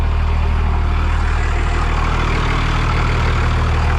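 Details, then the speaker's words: Second-gen Dodge Cummins diesel with damaged frame: fires fast, deep heavy rumble with steady even beat, loud, no misses or knocks; healthy idle despite transmission not holding gears. "thing fires up so well. It's surprising how healthy the engine sounds."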